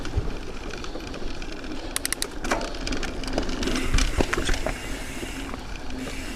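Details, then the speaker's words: Carbon bike frame on the trail: irregular light clicking and slapping over trail rumble, internal cables rattling loose inside the frame tube, before fitting a cable quieter inside the tube. "but it's definitely the sound of the cables rattling against the it is then the cables are sitting in the U"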